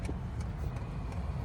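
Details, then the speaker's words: HCalory TB2 Toolbox 2 diesel heater, first startup on a temporary setup after filling with diesel: soft regular ticking about three times a second over a low rumble, the fuel pump priming normally before the heater lights. "it's priming, I believe."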